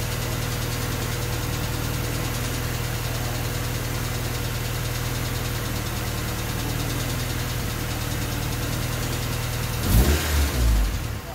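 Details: Honda D16Y8 engine on P28 ECU, idle after new spark plug wires and cleaned IACV reinstalled: low uneven lumpy idle stutters, then loud shudder as it nearly dies; rough hunting idle unchanged by wires and IACV.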